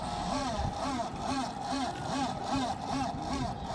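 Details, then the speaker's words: PC desktop powered on to locate a noise after dust cleaning: rough, warbling fan whir wobbling about twice a second from the CPU cooler fan, which is judged to be failed; worn fan bearing. "Para mí se jodió el culer."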